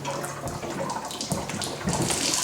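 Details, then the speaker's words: Galvanized-pipe home plumbing, water forced backward through the supply line into the water heater to clear rust clogs and restore pressure, hissing, gurgling rush with spurts as the drain valve clogs intermittently. "heck you can see how the drain valve starts getting clogged and how it was spraying real hard then stopped sprayed real hard then stopped but you can hear that"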